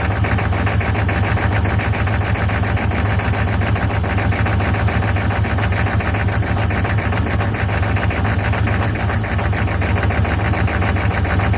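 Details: 1995 Chevy 6.5 turbo diesel: low, heavy idle with an uneven, lumpy beat about twice a second; rough idle, cause unknown.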